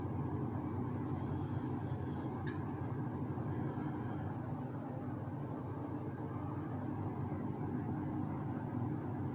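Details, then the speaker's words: 2006 Lasko 3733 box fan, restored and serviced, running at medium speed: smooth, even airy whoosh with a soft low hum and no ticks or rattles; normal healthy box fan. "um and the sound to it is actually kind of relaxing go ahead we'll knock it up to medium"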